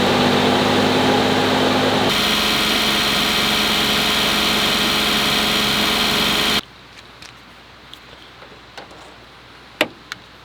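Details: Suzuki Jimny JA12 small petrol engine runs smoothly with a light, even note until it cuts off, with no whine or squeal from the charging side, during alternator replacement for noise and battery drain.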